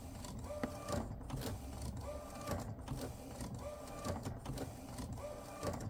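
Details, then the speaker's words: Refurbished replacement Epson P906 printer after a technician visit with no change, noise getting worse: repeated clattering and scraping about every 1.5 s as the head travels. A mechanical carriage issue, a blocked wheel or the base, is suspected. "So it's definitely a mechanical, to me, there's definitely a mechanical issue, either a wheel that probably block or whatever, or at the printer base."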